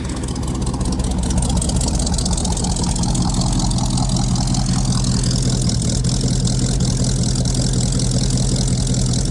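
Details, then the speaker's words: 1956 Buick barn find with 322 Nailhead V8, first start after sitting, New York car: started right up, quiet even V8 burble at idle with no knocks, misses or squeals; carburetor seems not quite happy but idling, good oil pressure. "Oh, started right up. Oh, this thing's quiet. It's so quiet. I don't even know if you guys can hear the thing running."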